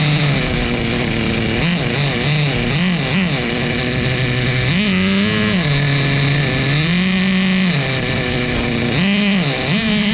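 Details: Repaired vintage 2000 Duratrax Nitro Quake RC monster truck, TORQ 21 Big Block nitro engine, preliminary first start, rich tune: loud buzzy revving in quick blips from steady high idle, smoky rich burble; running strongly.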